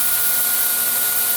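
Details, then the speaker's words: 2x72 belt grinder running: steady high whirring with thin fixed tone and rough growl underneath; harmonic wobble and belt tracking jumping, owner unsure whether belt tension is too tight or too loose, suspects too tight. "that almost sounds like it's growling like there's too much maybe I could take a little way"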